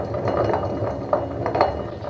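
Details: Very old Electrolux EWS 1045 washing machine, drive belt removed, drum turned slowly by hand: rough rumble with loose metallic clinks from worn drum bearings. The drum had recently started humming.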